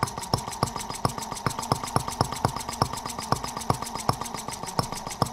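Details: Microcosm R18 model engine, patterned on 1886 Benz Motorwagen engine, first run after tweaking: sharp even pops about five per second with ringing rhythm, very smooth with virtually no vibration; slide valve must stay lubricated or vacuum leaks.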